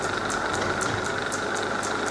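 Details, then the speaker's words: Holbrook B9 lathe with the motor newly mounted, after a reamed pin took out the play and the belt was tensioned so the frame stopped rattling: a steady, even motor hum with a light regular belt tick, running smoothly and quietly. "so there you go what yeah that's just done there but that runs uh that runs really quietly"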